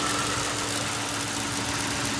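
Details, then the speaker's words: 2005 Ford Crown Victoria Police Interceptor, out of service about a year with a suspected bad fuel pump and dead battery; steady, even V8 idle with a smooth low rumble and faint constant hum, no knocks or misses; AC compressor engaged, alternator charging. "Engine sounds good. AC compressor engaged. Automatic transmission engages."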